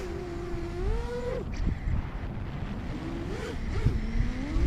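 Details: Custom scratchbuilt Tubular Quad V6 FPV freestyle drone, Hyperlite 2206.5 1922KV motors, Newbeedrone Infinity 200 FC/ESC, 4S 1300mAh, maiden flight: buzzing rotor tones swing with throttle, then brief fast stuttering wobbles twice; pilot suspects intermittent gyro issue with the flight controller stack.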